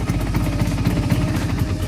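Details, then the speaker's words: Vespa Sprint two-stroke, freshly rebuilt engine with new bearings and piston, runs steady but coarse, clattery and raspy, noisier than an identical-spec Vespa Super; described as characteristic rough engine sound. "Kalau dibandingin sama super saya yang biru itu, ini suaranya lebih berisik gitu. Padahal spek mesin sama, semua sama."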